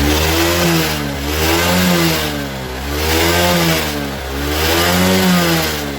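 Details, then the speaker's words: Suzuki Smash motorcycle, blipped throttle rises and falls unevenly with a soft, lumpy note and no steady idle; torn carburettor hose causes rich running, black exhaust smoke, fuel waste and inability to idle. "di sini Selangnya ya teman-teman mengalami kondisi sobek ini juga mengakibatkan motor tidak bisa langsam ya dan kemudian Bensin akan jadi boros"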